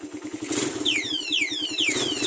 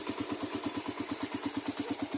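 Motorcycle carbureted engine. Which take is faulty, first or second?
second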